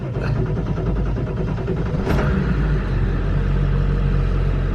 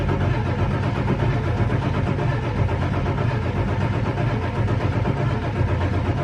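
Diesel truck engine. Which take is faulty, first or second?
second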